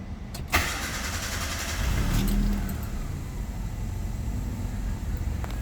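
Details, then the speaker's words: Proton Waja auto 1.6L 4G18 MMC, stepper motor (idle air control valve) suspected, AC off: cranks, catches, settles into slightly low, lazy idle; same with AC on despite ECU opening stepper fully; faulty idle air control valve. "Okey dia ada rendah sedikit. Okey tak on aircond. Cuba tengok dulu."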